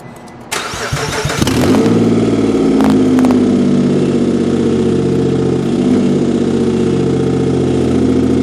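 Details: 2007 Nissan Quest minivan with no exhaust fitted, started for a parts-car demo: a quick crank catches into a loud, open-throated idle with a steady even beat, no knocks or misses; the engine runs great.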